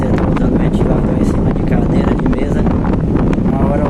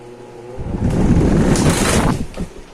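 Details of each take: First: Britânia Turbo fan, repaired after a fall had left it vibrating and noisy, running on the bench after cleaning: steady rushing airflow with no knocking, wobble or vibration. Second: Britânia Turbo fan that was dropped: starts with a loud rough rattle and rushing air, vibrating heavily because the fall broke a blade and left it unbalanced.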